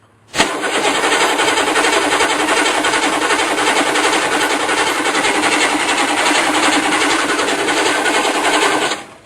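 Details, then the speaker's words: Pickup with 6.2 engine, Napa starter, batteries not fully charged: steady, even churning crank for about nine seconds with no grinding or clicking, slowing slightly as the battery tires; healthy starter. "so let's crank this baby up and see what a good sounding starter sounds like this is a Napa starter that was on the truck"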